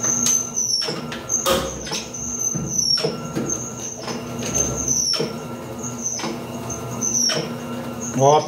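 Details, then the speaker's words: Electrolux LPR17 washing machine in agitation, belt already replaced without fix: clunking bursts with a squeak at each agitator reversal over steady hum; worn transmission mechanism, to be replaced. "pessoal o barulho já tá apresentando esse barulho que eu já tirei a correia dela né ela tá um pouquinho ressecada mas não é a correia coloquei a correia nova não não resolveu o problema tá"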